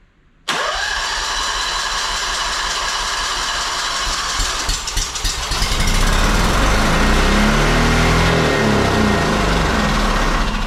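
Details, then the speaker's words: Honda two-cylinder engine that sat 10 years, fuel line rinsed and running off a squeeze bottle feeding the carb: it fires instantly, then revs climb and hold wide open with no throttle input. The governor was stuck; it was fixed afterwards. "she wants to go wide open hmm oh governor was stuck"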